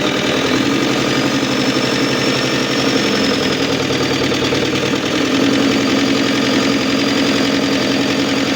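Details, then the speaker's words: Isuzu Panther turbo diesel after overhaul for an overheat-melted piston, no thermostat fitted yet, idling with oil pressure not yet up: steady but too soft, quiet idle, slightly uneven/limping, some white smoke; injector setting not right, to be adjusted while running in. "A kang ada asap putih dan agak pincang. Ini bisa jadi dari suaranya terlalu halus dan juga settingannya kurang pas."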